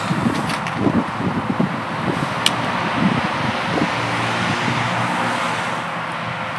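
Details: Triumph Scrambler 1200 XE started after a day outside at -7 to -14°C, needing battery help, recorded without an external microphone. Firing is ragged and uneven at first, then settles within seconds into a steady, even idle. Normal cold start.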